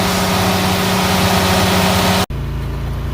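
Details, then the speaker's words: Farm irrigation engine started after an oil and filter change, oil above full mark, run a few minutes to fill the filter: steady even note with a low hum, no knocks or misses, then shut off; runs normally. "Okay, I did start it there and let it run."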